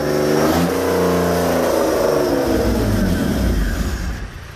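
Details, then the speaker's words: BMW E36 with M52 engine and M54B30 inlet cam, first start: revs unevenly, pitch sagging and wavering, then fades away. It won't stay running and keeps cutting out. Stalling. "engines in the car now um all running had a few teeth and issues had this swapped the crank sensor over and just wouldn't stay running kept on cutting up"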